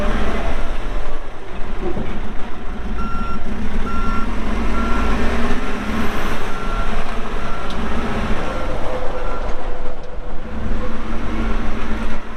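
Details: 2014 Kawasaki 65TMV D2 wheel loader, pre-emissions Isuzu diesel, 7,671 hours: deep diesel rumble under load with clear, evenly spaced high beep repeating; reverse alarm working normally, loader runs well.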